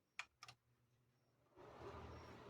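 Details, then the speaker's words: Lasko fan after repair of slow running and loud hum: two switch clicks then smooth steady air rush, no hum or vibration, normal fan sound. "¿Ven? Ya no hay zumbido ni vibración. Es el sonido normal del ventilador."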